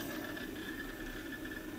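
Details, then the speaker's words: MarsRock GTIL2000 grid-tie inverter with limiter, five days old and under low cloudy-day power: a steady high squeal over a constant whir from the cooling fan. The cooling fan bearing is failing and squealing. "hello guys can you hear that this is the sound of a Dying fan The Creeks and this is a braid it's a bright new inverter from Mars Rock"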